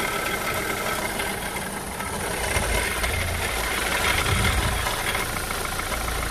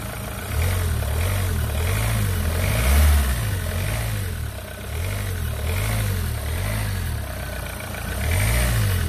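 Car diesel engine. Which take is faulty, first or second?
first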